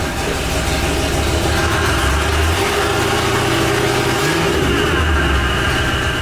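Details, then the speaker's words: $2,200 Cadillac Eldorado, lowered, exhaust cut off with scrap pipe welded on, idling: loud, rough open-pipe V8 rumble with an uneven puffing tick from a leaking exhaust manifold. "the goal is to make this car so loud you can't tell there's an exhaust lead"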